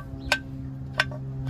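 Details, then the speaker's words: 2003 Toyota Camry 3.0 lower control arm being worked by hand: sharp, dry metal-on-metal clicks over a steady hum, the ball joint out of grease; it caused a loud clunk when pulling away and turning, fixed by replacing the lower arms. "Ah, como que ya se le acabó la grasa y ya está puro metal con metal."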